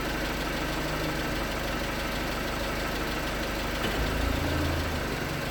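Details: 2019 Hyundai Tucson 2.0L GDI Nu, 24,000 miles, on Mobil1 5W-20 with under 1,500 miles since the last change. At cold idle a light, steady tapping of about four per second sits over the hum; suspected piston slap. It was slightly better with 5W-30.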